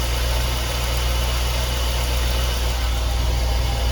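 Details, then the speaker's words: 2004 Chevy box truck after repair work with the battery reconnected; deep, steady V8 rumble at idle, even and unbroken with no knocks or exhaust ticking; runs like a healthy engine. "okay let's see how she sounds now I did have the battery disconnected like the good little doy am Let's uh oh sounds like a normal man that's boring"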